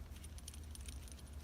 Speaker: the build quality is a less than impressive can you hear this there is a metal rattle